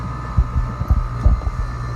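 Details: AC outdoor unit at startup after the contactor pulls in: steady low compressor hum with a thin whine and no fan whoosh; compressor runs while the condenser fan stays stopped, cause suspected but not confirmed.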